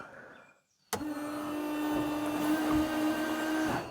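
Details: 1999 Daewoo Matiz with a new washer pump, after refitting a washer hose that had popped off. The pump clicks on to a steady, even buzzing whine for about three seconds, then cuts off cleanly. The washer works normally.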